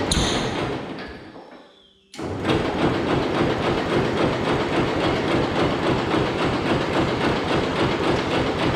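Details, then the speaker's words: Hesston 140 Front Runner garden tractor, parked 16–17 years, new carburetor bowl gasket, choke and a little throttle: starter churns steadily about three and a half turns a second with one brief catch but never picks up; crank, no start. "hmm i think she fired once there"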